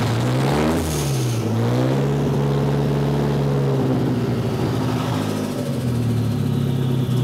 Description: Starting my CA18DET with the engine halfway warm (was last driven almost 2 hours ago) and observing how it misfires and wants to die.